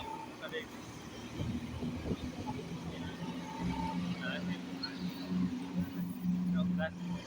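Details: Honda Beat scooter CVT after replacing the worn CVT case (block) bearing with an original KPIB 930 bearing, which had caused a crackling "kretek" noise: quiet, even engine hum with steady low tone, no crackling or rattle; transmission now sounds healthy.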